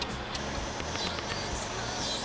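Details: Replacement turn signal flasher installed: steady, normal-pace clicking of about two clicks a second over a busy background, no longer flashing too fast.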